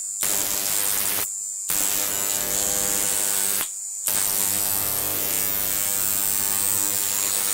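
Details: Large flyback transformer on a ZVS/MOSFET driver fed 30 V from a toroid transformer: loud constant high-pitched arc buzz cutting out twice, faint hum beneath; steady, healthy arcing.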